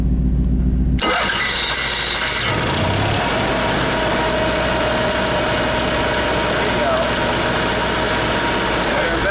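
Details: Motorhome main engine after fixing bad chassis-battery grounds that caused erratic gauges and dead jacks: short crank, catches at once, steady even idle with no misses or stumbles; normal start and idle.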